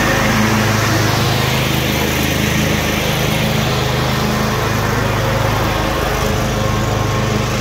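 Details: Cub Cadet RZT-50 zero-turn mower engine after crankshaft seal replacement and new aftermarket carburetor (original freeze-damaged): even steady drone with smooth beat, no surging or knocking; running normally.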